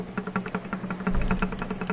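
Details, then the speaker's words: Original motorcycle engine torn down after piston seized: quick sharp metallic clacks as connecting rod is rocked by hand, failed big-end bearing with heavy play; rod to be replaced. "e a biela também ó pera aí vamos ver vamos dar um ó a biela ó tá escutando o barulho ó"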